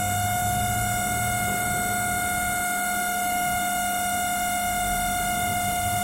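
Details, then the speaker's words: LG MC-7688DP microwave oven fan motor: loud, constant high humming whine with a steady pitch, customer complaint of intermittent loud noise; motor needs greasing and rewiring or replacement; noisy fan motor. "जो आवाज़ आप सुन रहे हैं ये मोटर की वजह से आता है। ये मोटर, इसको वायरिंग ग्रीसिंग करना पड़ेगा, ये तो रिप्लेस करना पड़ेगा।"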